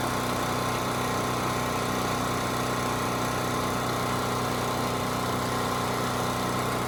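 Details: Champion 3000-running-watt 120V generator model 40026 after carburetor cleaning (rusted tank, old fuel), 87 hours; steady even single-cylinder drone without misses, knocks or surging; normal running.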